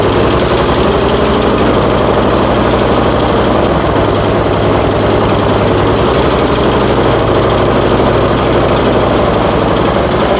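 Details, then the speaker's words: Troy-Bilt Storm 2410 snowblower single-cylinder after carb reassembly and crankcase refill, spitting oil; steady but lumpy, labouring idle with no clean rhythm, blamed on gasoline in crankcase oil washing the rings. "Tell that motor does not sound good in this. I can even kind of see it spitting oil out over there. Yeah, she doesn't sound real good, does it?"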